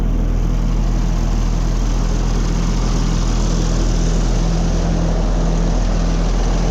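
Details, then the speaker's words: Oliver Fleetline 88 tractor, first start in about five years on old fuel, cold with water temperature still low: a steady, even low chug with no misses or knocks, oil pressure showing and charging, idling smoothly and healthy. "The oil pressure is showing and it's even charging. Love, love that."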